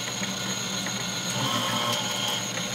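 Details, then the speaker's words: Refurbished industrial plastic shredder with repaired plastic gears, driven by induction motor, shredding a piece of plastic: even motor whine with steady gear chatter, no knocks or binding; sounded good, normal under load. "oh beautiful that sounded good too"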